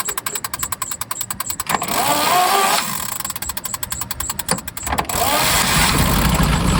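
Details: 1923 Cadillac Model 61 flathead V8 tow car, running a little better after repair work: starter cranking gives way to a steady, fairly even idle with a regular beat; normal idle.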